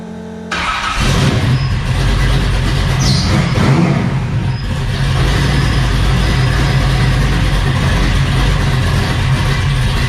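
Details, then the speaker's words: High-compression LS3 in a Trans Am, BTR cam, PRC heads, Trick Flow intake, claimed 700 hp NA, Flowmaster exhaust: fires and settles into a loud, lopey idle with a choppy exhaust rhythm; a healthy cammed V8. "Yep, she's a bit rowdy. Those are flow masters."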